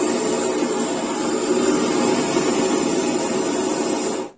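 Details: Repaired gas burner torch on a gas canister: steady, even flame roar with no sputtering or popping, then the gas cuts off cleanly, so the burner is working normally.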